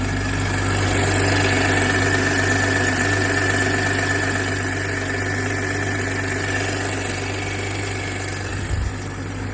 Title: BMW g20 b58tu m340i metallic , ticking noise on cold start , doing only in cold start for 1 min